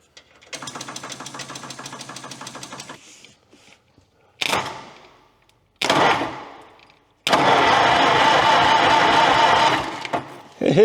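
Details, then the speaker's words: Rare Michigan loader saved from scrap, long unused, with the starter jumped directly at the starter: it cranks over with an even, steady chug and no uneven compression beats, so cranking sounds healthy. "Look at that. It cranks over. Nice. Well, that's good news. Our little walk cranks over. Okay. There. Doesn't sound bad. It sounds like it's cranking pretty even."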